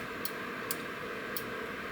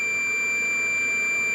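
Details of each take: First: Relay from a Beretta/Riello/Carrier boiler board (error A01) powered at 24 V DC from a bench supply: four sharp clicks over a steady hiss but no continuity beep. The coil energizes but the contacts fail to close, an internal fault. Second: Steady unbroken continuity beep from a multimeter on a Beretta/Riello/Carrier boiler board relay (error A01) with its 24 V DC coil energized: the good relay's contacts close normally.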